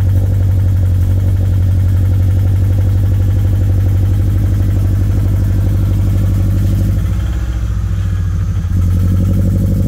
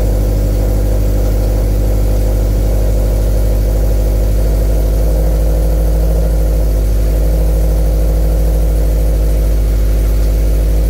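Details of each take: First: 2013 Scion FR-S (BRZ twin) bought with a rod knock, original engine before a used-engine swap, at idle; a light uneven knock about four times a second rides under the exhaust note: rod knock. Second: 2013 Scion FR-S after swapping in a used engine to replace one with a rod knock, idling while coolant is topped off. Steady, even idle with no knocking, ticking or rattles. Normal idle, no weird noises.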